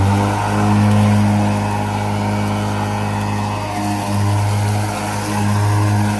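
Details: Ryobi ZR3 80 V 42-inch brushless zero-turn mower with 14 Ah lithium NMC batteries, driven slower in wet grass: steady low electric whir from the deck, blades spinning freely with only slight load swells.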